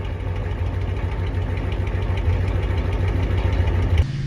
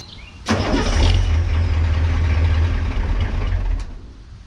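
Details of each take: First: Ford 6.9/7.3 IDI diesel pickup, warm weather around 70°F: catches quickly and settles into an even clattering idle, steady beat, no stumbling or misfire before shutoff. A normal healthy start. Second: Ford 6.9/7.3 IDI diesel cold start, with new glow plugs, controller and relay: repeated long cranking bursts at about four turns a second without catching. Air in the fuel filter, meant to self-bleed, is delaying the start.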